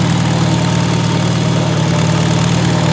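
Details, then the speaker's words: Farmall Super A International Harvester four-cylinder gas engine, warming up: even, deep idle with steady low beat, no tapping or misfire; purrs healthy. "Oh man, listen at that International Harvester 4-cylinder engine purr."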